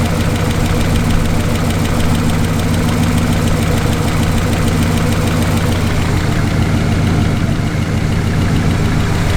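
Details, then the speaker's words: 1968 Lincoln Continental sedan after repair, warm idle after 10–15 minutes: quick light top-end tapping still riding over the rumble, pacing engine speed; lifters suspected; idles better than before but still sounds off under load. "husband idle in like 10 15 minutes it something kind of still tickin but they could just because the lifters are allowed to begin with"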